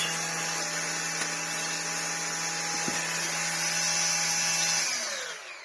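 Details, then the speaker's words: Gtech AirRam Mk2 vacuum brushroll after removing hair from the cog and applying silicone spray: steady high whir, clean even tone, no grinding, suddenly speeds up then spins down smoothly; normal brushroll running. "you hear that suddenly speed up when I smashed it with the silicone spray excellent that's what we want"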